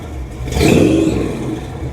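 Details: 1966 Chevrolet C10 V8 just fitted with 3-inch exhaust and Flowmaster Delta 50 mufflers: blips up with a thin high belt squeal riding on the rev, then settles back to a rumbling idle.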